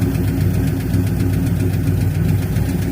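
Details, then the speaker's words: 1964 Ford Fairlane V8 idling after a drive of about 60 miles: a quick, even lifter tick rides over the deep rumble, and the lifter is still ticking. "all right Mama we drove it uh probably about 60 mies and you can hear the lifter still ticking"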